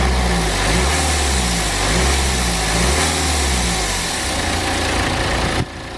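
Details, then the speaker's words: BMW N47 diesel idling and revving with a strong airy hiss over the engine note; a boost leak from the charge air pipe, whose bracket appears to have failed under an old temporary repair, before replacing the pipe. "And if you was able to hear then, there was quite a lot of hissing coming from this area, and obviously it's pretty easy to see why. That is exactly our problem."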